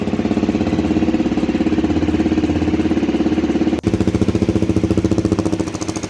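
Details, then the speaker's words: Honda CRF250L single at idle, street-only bike with starter motor already replaced and aftermarket manual timing chain adjuster fitted: quick, even thump holding a steady beat with no ticks, knocks or rattles; healthy engine, runs strong. "Now, if you're wondering how a healthy CRF250L engine sounds like, well, here it is."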